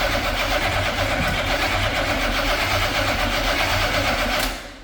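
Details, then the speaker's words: C50 truck V8 after installing a Kill Shot EFI fuel system; the starter churns steadily for several seconds with no catch; owner suspects distributor timing may be 180° off, though the cause is no fuel delivery. "okay we're still not starting guess I need to double check timing and whatever make sure we didn't drop the distributor 180 off or something"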